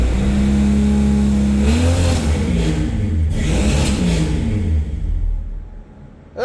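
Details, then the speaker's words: 1962 Ford Falcon with 200ci six, T5 swap and Holley Sniper EFI, first start in 8 months, no exhaust yet: lumpy, uneven revs rising and falling, then it stalls. Air-fuel reads 9.8, running very rich. "We're looking at 9.8. Why is it so rich?"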